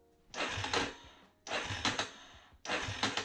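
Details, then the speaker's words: 2006 Yamaha Raptor 350 ATV cranking, non-running: three short, harsh grinding bursts about a second apart as the engine seems to bind; owner suspects the starter clutch, new one on order. "I hope that's the thing that's keeping this thing from running because as you can tell oh it does that it sounds like it's binding up"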